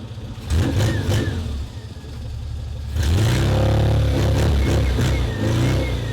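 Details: Restored classic Mini four-cylinder, first start in two years after clutch replacement: smooth idle rising cleanly through blips and settling back without misses or rattles. Normal running and revving.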